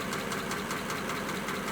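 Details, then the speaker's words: 1941 pickup idling after a wet-weather no-start fixed with five minutes of compressed air, five minutes of heat gun on the distributor and a battery charge: even idle with a regular beat of about five pulses a second, no misses or stumbles. "okay that's good it's running can you see all the stains coming off"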